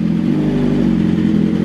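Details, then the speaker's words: 2022 BMW S1000RR after a custom dyno tune on pump gas, cold start idling high then pulling down faster than the stock setup, steady fast idle with an even beat and no clatter or stumble. "real quick now it is going to start high but give it like a few few seconds and you'll see it'll start to pull down versus how the OEM uh the OEM setup does so here we go let me fire it up for you guys so much much better versus how it used to be"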